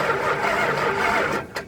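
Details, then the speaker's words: Vehicle that sat outside for a long time, charger on, battery 12.9 V dropping to about 4.68 V while cranking, fuel bowls still empty: sluggish labouring starter churn without catching; too little voltage for spark, slow cranking, no start. "so as you can see we're only getting I got a four there four 68 it's it's just not enough enough to allow the motor to fire off"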